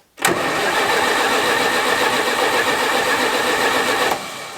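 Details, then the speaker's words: Old Oliver tractor with Detroit engine, first cold start on a chilly morning: harsh, uneven rapping and popping as it catches and runs rough, smoking; belt squeals on first daily start. "Woo! Hey, it's knocking. Good sign. Means she's trying when she's popping. This is one of them old Detroit motors, and when they start the first time of the day, they put out some smoke."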